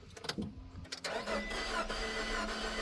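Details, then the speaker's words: 2.4 L MultiAir engine, 32,000 miles, cranked but wouldn't start with no oil on dipstick; after adding oil the starter whirs briefly, builds oil pressure, then catches and settles into steady low idle without knock or rattle; normal start. "Built some oil pressure, and then all of a sudden here. Now it runs. Literally, just cuz there's no oil in it."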